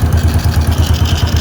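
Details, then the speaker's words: Honda Wave 100 after repair: block replaced due to scoring and valve seals replaced for smoking, connecting rod not changed. Even, steady single-cylinder putter about twelve beats a second, no knocks or ticks: quiet, healthy idle. "ba walang kaingay-ingay sobrang tahimik."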